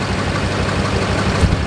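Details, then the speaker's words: Truck suddenly banged, shuddered and nose-dropped while driving; rough idle with heavy uneven thumping pulses and excessive blow-by; misfire, cylinder one suspected to have a cracked piston, unconfirmed. "What I'm thinking is going on from what I can see is cylinder number one's probably more than likely had a cracked piston on it. Just by the amount of blow-by that was coming out"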